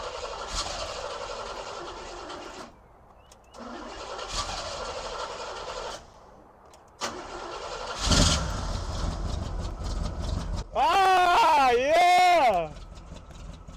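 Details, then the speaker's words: 1971 Cutlass Supreme SX 455 V8 that sat for years, fuel poured down the carburetor: cranks in bursts, catches unevenly and stumbles, revs surge and sag; rough first start. "let's go this thing sounds pretty decent well maybe not"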